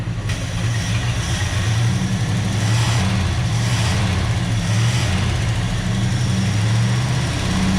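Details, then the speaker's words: 1976 Chevrolet Scottsdale K20 4x4, V8 with Holley carburetor, first start after sitting about 20 years, oil pressure around 15: revving up and settling with a dull knock as revs rise; cause unknown. "i don't know did you hear that knock when i rev it up"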